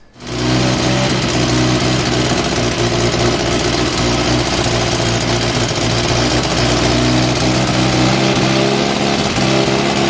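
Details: 1961 Austin Healey Bugeye Sprite four-cylinder, first start after restoration, carburetors not yet adjusted: steady idle with a raspy, puffing edge on the exhaust note; exhaust leak at the manifold donut gasket, needs tightening.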